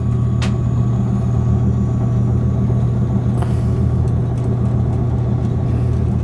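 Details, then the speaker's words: Gas furnace blower after motor replacement, now spinning correct direction, steady low hum with no squeal or rattle while furnace cools toward 100 before fan cycle switch shuts it off; normal run, later shut off at 100. "it's going to cool off to 100 before the fan shuts off unless the fan cycle switch is no good"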